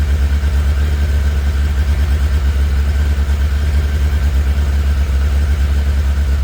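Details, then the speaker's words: Cold start with the choke on, kept from revving much: a deep, even thump at a high choke idle with no knocks or misses, and the bike runs cleanly and sounds good. "that was a bit of a start with the choke on from a cold start so I can't rev it too much plus I don't really want to annoy my neighbors by ring that thing but it sounds like it runs good"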